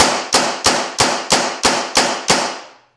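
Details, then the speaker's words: Older Tippmann paintball marker with full-auto trigger, no audible air leaks, at about 800 psi, fired in semi mode: eight sharp, evenly spaced pops about three a second, no hiss between; normal semi-auto firing. "I'll show you it works in semi. Let me put it in semi mode."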